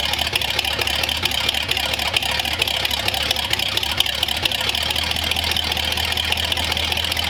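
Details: Flathead V8 on a newly built run stand, cold day, partly choked with a squirt of fuel: even ticking beat settled at idle, steady with no knock or miss; runs healthy, later reaching almost 160 after 10-15 minutes.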